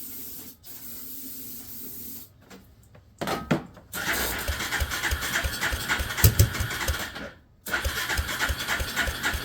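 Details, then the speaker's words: Suzuki LT300E ATV after restoring spark, spark plug fitted, brake cleaner sprayed as starting fuel, battery possibly underpowered: rapid starter churning in bursts with a few uneven pops as it tries to catch, then dies; cranking no-start, cause unconfirmed. "It tried to sputter over, but something's not enjoying life is what it is."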